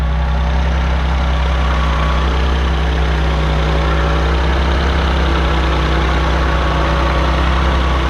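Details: 1984 Maserati Biturbo with a fuel-injected engine swapped from a 1989 Biturbo and a new fuel pump fitted for hesitation. Steady, even low idle rumble, quieter now it is warm after a choked cold start, with no knocks, misses or hunting.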